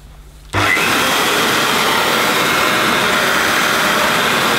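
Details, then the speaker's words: Hoover S2095 Quick Broom II mains-powered bagless stick vacuum, brand new and just assembled, first switch-on. Motor spins straight up to a steady, even high whir with no rattles or surging. Doesn't sound too bad, though the owner is unsure how it should sound: normal running. "Well, I suppose it doesn't sound too bad. I'm not really sure what it should have sounded like in the first place."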